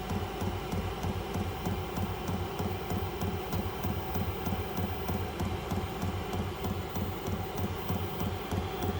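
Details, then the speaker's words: Vevor 12-volt diesel heater, little fuel in the small filter, owner unsure of the cause: steady pulsing hum with fuel pump ticks about three a second, then it slows and shuts itself down (around 13:58), nothing coming out. "So it's turning off. Yeah, there's nothing coming out. So it's shut itself down."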